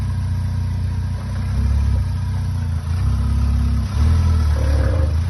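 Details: 65-plate Vauxhall Astra J VXR: a low rhythmic knock and creak pulling off with the steering slightly turned, none when straight. Replacing both outer CV joints didn't help; changing the degraded gearbox oil cured it.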